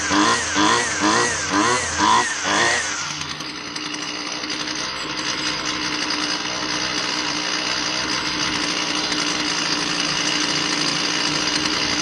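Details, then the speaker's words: Husqvarna 128L string trimmer two-stroke after replacing the stiff carburettor metering diaphragm that had caused a bog: throttle blips, then a clean steady high buzz; runs smoothly and responds well to adjustment. "So all we did was put a metering diaphragm in here. I want you to pay attention to how different this sounds and reacts to adjustment."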